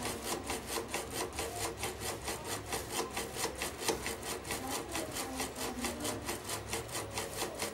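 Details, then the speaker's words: Epson SC-P400-board A3 DTG UV flatbed printer with DX7 head at power-up, head not at home position: quick even carriage shuffling about twice a second before stopping with error 52H (paper jam); 71H suggests APG sensor fault. "เอาล่ะนี่คือข้อผิดพลาดที่มันแสดงขึ้นนี่คือข้อผิดพลาด"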